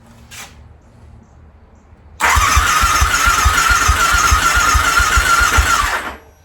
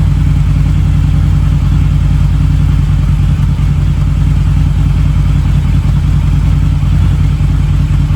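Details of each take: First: Harley V-Rod on its first start attempt in at least four years, with fresh 91-octane fuel, a new battery and the throttle body refitted. Steady starter whine and even cranking for about four seconds, never firing. Owner suspects old bad gas still in the lines. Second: Harley V-Rod with about 16,000 miles, warmed up after its first start in at least 4 years. Smoke has nearly cleared. Deep, even V-twin rumble with a steady beat and no misses or knocks. Normal running.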